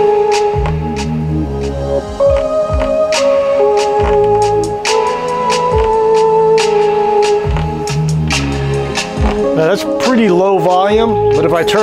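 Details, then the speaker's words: Soundcraftsmen A2502 amplifier playing music through a speaker: rough, fuzzy distortion on the bass notes while the highs stay clean, along with serious hum from both channels. "Notice that the bass notes are really where we hear the distortion. The bass notes are what take a lot more power."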